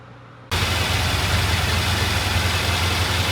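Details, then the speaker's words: Vintage British motorcycle at steady, even idle with no misses after new carburettor cables were fitted. It started right up after the jet adjustment and idle were set. Normal idle. "All right, it started right up. I set the [Music] jet adjustment jet and I set the idle. It sounds good."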